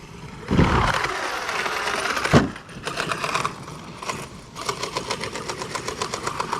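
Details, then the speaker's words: Redcat Vigilante RC truck, 800 kV motor, test run: motor whine breaks into rough, fast rattling grind in bursts under throttle; suspected blown diff, likely center diff, possibly poor gear mesh; spur and pinion okay. "something sounds like it's hitting in there yeah something's broke already of course or is it just this flapping around okay sounds like we blew diff already"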